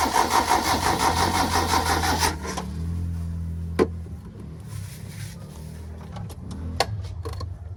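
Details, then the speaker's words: Engine left unused two weeks, now hard starting, fuses jumpered: starter spins with quick even beat about two seconds, never fires; crank no start, fuel not rising, suspected dirty fuel filter or pump not pumping, unconfirmed. "Walang parang walang umakyat filter. Fel filter madumi hard starting. Walang umaakyat na gasolina ano kaya?"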